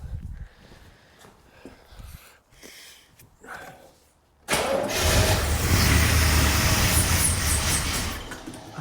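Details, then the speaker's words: 1984 Corvette C4 with Crossfire Injection, parked over 20 years: after handling noise the engine catches and settles into a steady, even run with no knocks or rattles; sounds okay. "It runs. I don't hear anything crazy. I think it's okay. I think it's okay. That's good news."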